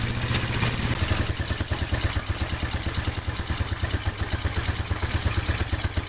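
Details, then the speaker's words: Yamaha Mio Sporty scooter idling, before teardown: harsh fast even metallic ticking from cylinder head, indicating running out of or low oil; valve cover to be opened to check oil circulation to valves; valvetrain clatter from oil starvation. "unit Mio Sporty Mio Sporty suara kasar di bagian head atau kop indikasi kehabisan oli atau kekurangan oli"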